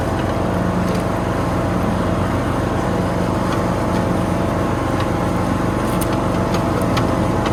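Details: Toro Z420 TimeCutter zero-turn mower after motor swap with new carburetor and fuel line, mowing foot-tall grass: loud steady chug at full throttle holds pace through the cut, no bogging or dropouts; runs good.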